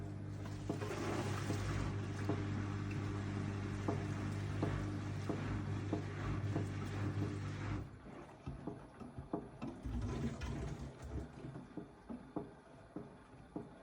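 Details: AEG 8000 washing machine at low drum speed: dull, fairly regular knocks, roughly four a second, under water slosh; mostly counter-clockwise, disappears at higher rpm, returns on slowing; persists with detergent cup removed. Cause undetermined.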